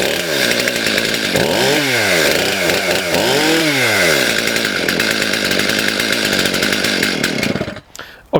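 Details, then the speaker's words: Stihl MS291 chainsaw after the carb adjusting screws were turned out too far: revs up and down with a burbly, blubbering note that won't clean up at speed; running too rich, L and idle screws to be turned back in. "it's running a little too rich, guys. I've turned out the screws a bit much."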